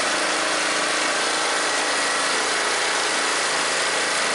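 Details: MTD riding mower that died mid-mow and wouldn't restart, after valve train repair and valve adjustment: steady, even single-cylinder running with no ticking, knocking or misses; engine running smoothly.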